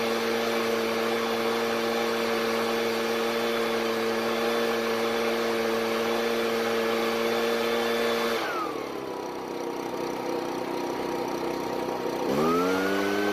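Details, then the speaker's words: Ryobi backpack blower, two-stroke on fresh store premix, warmed up: high buzz holding steady then sagging and recovering, somewhat irregular, never reaching full speed. "So it's easy to start, and letting it warm up a bit, it seems to run okay, but it's a bit irregular at times. As it gets warmer though, it seems to run a bit smoother, but it's definitely not getting to full speed either."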